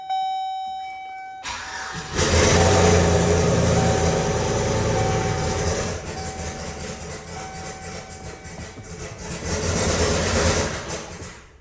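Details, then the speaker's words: Junkyard LS V8 in the Turborado, first run after bad-ground fix, open turbo, no downpipe or manifold: harsh, loud bark then uneven surging running; sounds really not good, gauge shows no oil pressure, cause unknown. "That sounds really not good."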